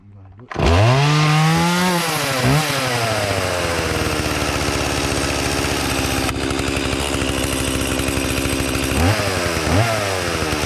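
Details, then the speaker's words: Chainsaw in cold weather revving then holding steady high buzz under cutting load with brief dips; runs okay but owner thinks it needs a slight spring adjustment. "tell it runs okay might need sounds like it needs a little bit of a spring adjustment"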